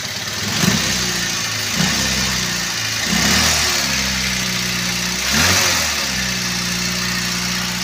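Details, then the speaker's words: Toyota Avanza petrol engine at idle after start-up, owner reports high fuel use, fuel smell, shaking and no power: uneven, lumpy, rocking beat with a cylinder dropping out, misfire suspected from weak or dead ignition. "Oke seperti ini suaranya sobat ya Jadi bisa kemungkinan ini ada dari pengapian yang kurang setrum atau pengapian yang sudah mati"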